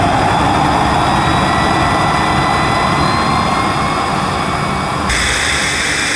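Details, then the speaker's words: Panasonic MC-E862 cylinder vacuum, suction gauge test with inlet blocked and power raised from minimum (about 66 on gauge): steady high motor whine turning brighter as air rushes in elsewhere; suction relief valve opening. "when I blocked it off and increase the power there was definitely I could hear air rushing into the machine from somewhere else so I think this cleaner does actually have a suction relief valve"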